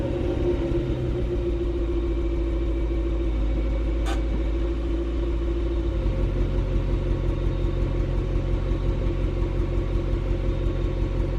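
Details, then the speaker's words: Swapped H22A engine in a 5th-gen Honda Prelude race car, idling after new spark plugs and wires and an earlier distributor cap change. Heard from the rear, it stumbles unevenly, lurching a few times a second: a fairly bad misfire, cylinder unknown. "I mean there you can distinctly hear there's a fairly bad misfire unfortunately from back here"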